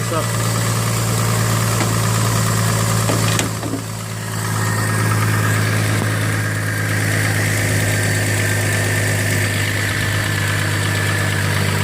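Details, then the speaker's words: Used Chevrolet Trailblazer bought cheap with a slight engine tick, idling down after a cold start: steady idle with a faint regular light tapping; unclear whether a lifter in the upper engine or a rod, owner suspects rod. "it's really hard to say it sounds like it's a lifter baby in the upper part of the engine I think it's a rod in myself"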